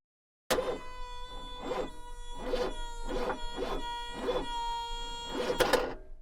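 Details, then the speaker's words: Chery car at engine start: a squeaky, tonal chirp pulses roughly every 0.8 seconds over the starting engine; the owner asks what causes it, source undetermined. "завожу ОНТ такой звук даёт Это от чего может"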